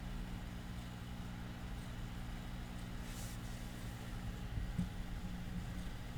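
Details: 1937 Philco 37-93 cathedral radio, unrestored, voltage raised toward 100 V on first power-up: a low steady droning mains hum with no music or speech; cause not yet found.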